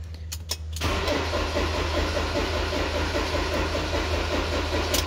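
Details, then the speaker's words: Ford Transit Mk6/Mk7 van: the starter winds over steadily for several seconds with no firing. Dash lights come on, wiggling the key doesn't help, and it won't start. Looks like a starter, battery or wiring fault but is a faulty ignition switch. "you can see it's just winding over and it's not firing so and you can use a bit slow just try it again obviously lights come on and it won't start"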